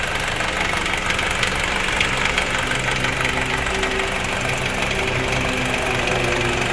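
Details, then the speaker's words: Honda CR-V second generation, ticking heard at idle: fast light metallic rattle about three per second, caused by a broken oil pump chain damper letting the chain hang loose. "oke jadi penyebab bunyi itu di situ"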